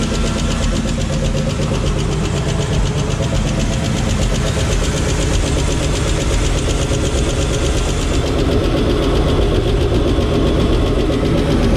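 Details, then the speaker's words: Square-body Suburban V8, overhauled about 5 years ago and barely run, with a used Edelbrock 1405 carb: light, quick, uneven ticking of about four per second over the idle, with good oil pressure. Owner suspects lifters and may adjust them; the noise fades. "Well, that's lifters as it goes away. Might just have to adjust the lifters."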